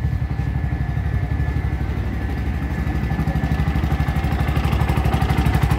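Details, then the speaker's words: Bajaj RE three-wheeler after ECU and throttle body replacement: even putter about four beats a second, steady with no misses or stumbles; normal idle. "So ayan, andar ng unit natin."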